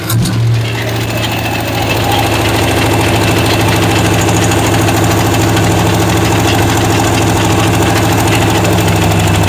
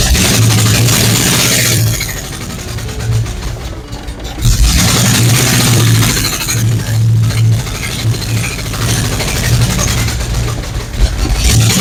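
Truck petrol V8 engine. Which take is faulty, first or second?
second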